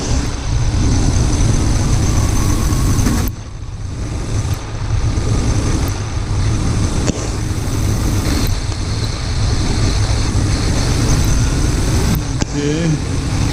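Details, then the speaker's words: Truck with intermittent rough idle and suspected fuel injector problem, new fuel filter fitted; injector disconnect test at idle: loud steady idle sags in rpm when cylinder six is unplugged, showing that cylinder contributes. "you can hear a significant change on number six number seven and you hear a drop in rpm here and you can hear a little bit of a drop on eight"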